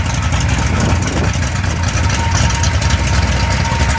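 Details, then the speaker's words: Mopar 360 V8 short block on test stand, near 180°F, idling ~900 rpm, 5.5 psi fuel pressure: deep, choppy, loping idle, normal chop from the aggressive camshaft; belt flops slightly, clean burning, no leaks. "The belt flops around a little bit, but it's very clean burning. No leaks of any kind. Quite a chop from the camshaft."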